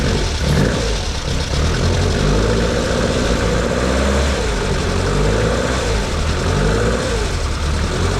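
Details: Lotus Elan after setting choke and throttle cable free play: steady low, even rumble with gentle throttle blips rising and falling smoothly; sounds healthy.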